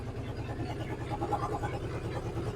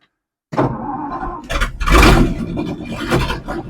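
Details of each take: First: 1963 Ford F100 unibody, Y-block V8, three-speed, sitting and running after 20+ years off the road: quiet soft low rumble at steady idle, no top-end ticking or clatter; normal healthy idle. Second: 1963 Ford F100 unibody, Y-block V8, three-speed, unstarted 20+ years: starter cranking out of gear, then rough coughs and a short roar as it briefly catches, showing spark and working ignition; won't keep running yet.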